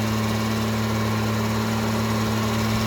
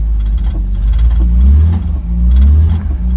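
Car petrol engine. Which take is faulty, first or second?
first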